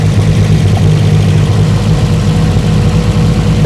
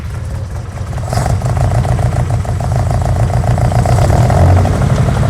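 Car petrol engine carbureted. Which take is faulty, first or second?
second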